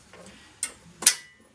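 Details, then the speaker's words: Kubota B3030 diesel tractor during injector bleeding after fuel filter cleaning, manual shutoff tied off: a few sharp isolated clicks in quiet cab as key goes on; fuel shutoff solenoid pulling in normally, receiving voltage. "now you hear that click that's your fuel solenoid so you can verify that the fuel solenoid is at least getting voltage and you can actually feel it clunk so you know it should be opening fine"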